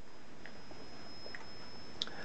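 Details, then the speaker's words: Keystone model 800 Everflash camera, Polaroid-film compatible, flash switched on: a thin, steady high-pitched squeal as the flash charger charges up normally, before the ready light comes on. "to use the flash you would turn it on the buttons right there in the front the shutter and as you can hear that you can hear the squeal from the charger as it charges up"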